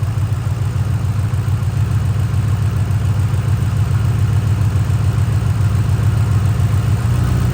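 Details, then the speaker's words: 2005–2009 Mustang GT V8 with misfire: deep idle with uneven loping beat, dropping to seven cylinders as each coil pack pigtail is unplugged; all coil packs confirmed good, misfire at idle. "if the coil pack is bad there will be no change in the idle if the coil pack is functioning as it should you'll hear it drop down to seven [Music] cylinders"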